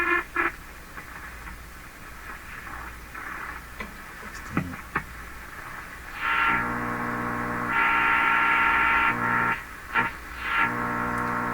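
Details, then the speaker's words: Hallicrafters SX-122 receiver on the high band during listening test after S-meter and BFO calibration: hiss with steady buzzing hum and tonal drone that swells and fades while tuning, raises the S-meter; source unknown, suspected internal. "Okay, don't know what this is. This sounds like something internal from the radio to me."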